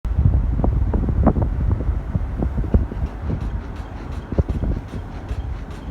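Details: Nissan X-Trail T30 under braking: irregular taps, low grinding and squeaky chirps toward the end; source not yet located, steering, suspension and brakes to be inspected.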